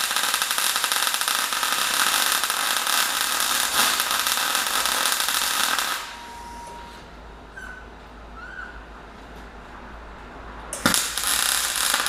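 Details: MyMag Mate 150 inverter MIG welder at under half current on a Dyna tow truck project: steady even frying crackle about six seconds, pause, restart; smooth, consistent MIG arc.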